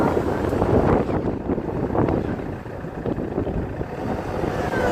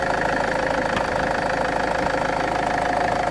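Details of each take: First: Land Rover Freelander 2 SD4 2.2 diesel on road under hard load: clear whistle rises near 2000 rpm, holds as the engine pulls, then fades; suspected boost-related, possibly a boost leak. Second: Land Rover Freelander 2 SD4 2.2 diesel that was noisy under load/boost, warmed up and revved after a hose repair: steady diesel note, even beat, no hiss or whoosh; normal revving with the noise gone.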